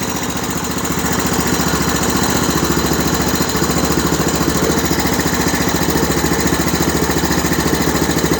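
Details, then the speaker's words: Honda TRX-250 Recon ATV started for charging test, battery 12.5 V at rest, about 13-14 V running: small single-cylinder thumping, even and steady, rises slightly then holds, no misses or knocks; normal idle, charging system fine. "I'm going to go ahead and start the ATV up also and test the voltage on the ATV while it's running"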